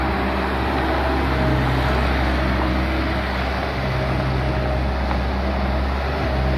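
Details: Bobcat skid steer loader diesel after repairing broken wires that had caused it to shut off 1–2 minutes after starting: steady, even, smooth low idle with no misses, knocks or hunting. Normal idle.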